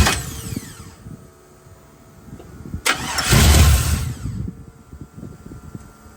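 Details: 1979 Chevrolet C-10 with LS swap (5.3), first start after nearly two-year build, fuel pump relay bypassed: cranks a while, catches with a loud flare, then stumbles and sputters unevenly; hard start and rough running, cause not yet found.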